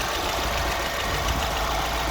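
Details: Mini Cooper S with N14 1.6 turbo engine, possibly the known-good car used for comparison: steady, even idle hum with a light, consistent valvetrain tick and no misses or knocks; normal idle.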